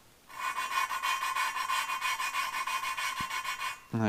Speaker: all right now i want you to listen when i start it's going to sound very coarse and grinding and then it's going to smooth out and become less raspy when it becomes less raspy you need to change your lapping compound see how it's very coarse